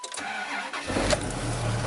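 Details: 1995 Dodge Ram V10 with cold no-start, suspected bad PCM, after bypassing 12 volts into the regulator: short crank, catches about a second in, settles into a steady even idle; starts normally.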